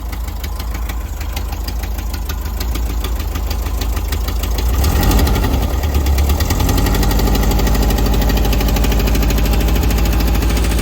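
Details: Air-cooled Type 4 engine at idle; steady knock about three per second growing heavier as revs rise slightly; engine knock at idle.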